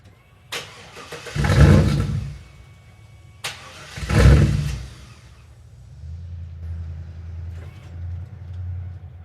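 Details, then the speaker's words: Wrecked 1999 Chevrolet Camaro Z28 with an LS1 engine, started with a jump starter because the battery was dead; two strong cranking surges, then it catches and settles into a deep, steady, even idle with no knocks or misses. "We just got her started and she sounds amazing."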